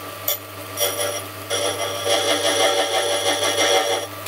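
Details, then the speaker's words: Restored Silca semi-auto key machine: quiet, smooth whir with a light, steady cutting hiss, no chatter or grinding. The cutter is very sharp and cuts well, but the machine is slightly out of calibration, cutting a bit deep. "that sounds beautiful when look at that just completely annihilates key so it cuts well needs readjusting"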